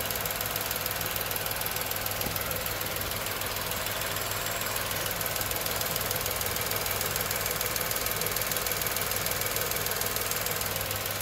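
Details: Tata Nexon 2020 BS6 XZA+S petrol engine idling, AC on/off comparison: smooth even idle, light fast tick over low hum; normal.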